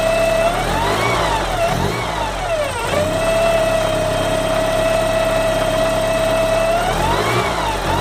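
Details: Porsche 944 engine: steady high whine over idle, sweeping up and down with each rev blip, with a faint hiss underneath; engine whine and hissing.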